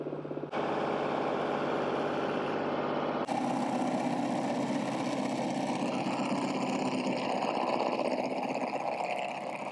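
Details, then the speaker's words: Tractor-mounted Woodland Mills stump grinder: engine drone with a rough, rapid rattle under load, do-do-do, as the cutter chatters on a small root that is bouncing. "So one of the things I want to show you is you hear that rattling noise when you're grinding, that do-do-do-do-do-do-do-do-do. That's because you're on a small root and that root's bouncing."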